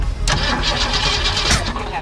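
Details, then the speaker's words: 1965 Mustang with a roller 302 V8, an electronic distributor and a rebuilt Holley 4010 carburetor, plug wires set to the 302 HO/351 firing order: loud cranking with ragged, uneven catches that never run. Owner suspects the firing order is wrong. No start. "oh that's not encouraging clearly I don't have the time to write there's another thing with small block Ford engines could be that there's two different firing orders for these"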